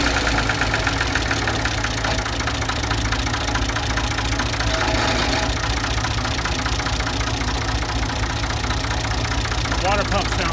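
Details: Ford 2000 diesel tractor running on Diesel Purge to clean bad injectors: idle with uneven tapping three or four times a second over the rumble.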